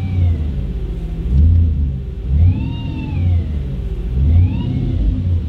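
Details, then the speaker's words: Audi B7 RS4 with a flap delete, cold-started after sitting a while. Over a lumpy low idle, a whistling whine sweeps up and down in short spells. It comes and goes as if electronically controlled; cause unknown. "see it goes right away there as if it's like something electronic that's controlling it which is kind of odd but whatever we'll figure that out too"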